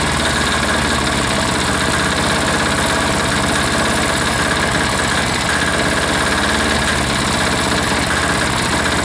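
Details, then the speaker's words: Air-cooled diesel engine just reassembled, throttled down to idle after earlier fuel starvation, with even, unbroken clatter and no misses or surging; owner says it sounds pretty good and doubts it will go much lower, normal idle. "sounds pretty good right there you know that I don't think she'll go a a whole lot lower than that"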